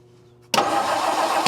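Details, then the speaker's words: 1959 Meteor left sitting in the bush: engine spins steadily on the starter but never fires; ignition points stuck open and not opening and closing. "Well, now they're not moving. I crank it over and the points aren't opening and closing."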